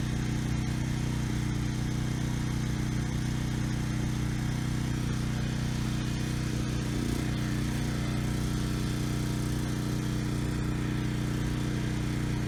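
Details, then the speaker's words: Briggs & Stratton Storm Responder generator after cleaning a main jet clogged by old untreated gas; started first pull, steady even drone at constant speed, no hunting or surging—normal steady running; still needs a new fuel petcock. "The engine sounds good. No hunting or surging. Engine speed is good."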